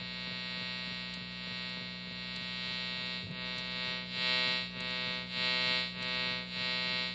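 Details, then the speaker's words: Electric guitar through a cranked Deluxe Reverb with no pedals, phone about one foot from the amp: a harsh electrical buzz swells in waves as a light on its high setting is aimed at the pickups, radio frequency interference. "and the radio and radio frequency interference from the light is going to make noise through the amp"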